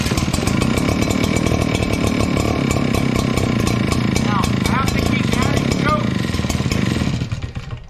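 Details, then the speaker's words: Echo PB9010T backpack blower two-stroke started cold on choke after sitting overnight, about 80°F: loud buzz that sags and sputters ("bumbling") when throttle is hit just off choke, running lean; worse in cold; carb needs richening. "you can hear it bumbling it's really bad when it's colder outside so let's see if we can't fix this"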